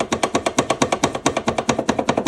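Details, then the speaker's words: Older Suzuki Burgman 650 scooter: rapid hollow plastic knocking over bumps from the variator control unit mounted up top, its rubber mount missing; it could fall out and obstruct steering, so it should be padded with damping material and secured. "таким вот образом противно гремит на кочках там отсутствует резинка крепления он может выпасть и мешать повороту руля это не Очень безопасно"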